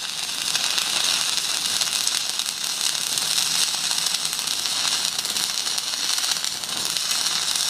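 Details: Magnetic 150 stick welder, 3.2 mm 6012 rod on half-inch pipe at 150 amps: steady frying hiss with dense crackle, no pops or sputter; stable, well-powered arc with good penetration.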